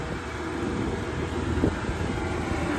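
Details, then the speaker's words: Cummins Onan generator showing 78 hours on a 2008 Ford F-350 Versalift 34 ft bucket truck (5.4 L Triton V8, 137,000 miles): low steady even drone with no knocks or surges, very quiet while powering the boom. "very quiet you know I'm talking over this thing it's a very quiet generator and it is powering this Boom for us right now"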